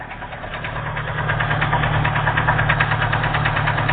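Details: Engine knocking steadily about three times a second at idle, growing slightly louder as it settles, from a broken-off piston skirt slapping.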